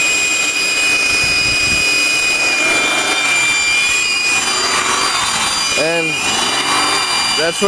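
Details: 2000 Acura TL after knock sensor replacement: thin steady high whistle from the AC compressor side over the idle, wavering as RPM surges; owner suspects a broken vacuum hose elbow, unconfirmed.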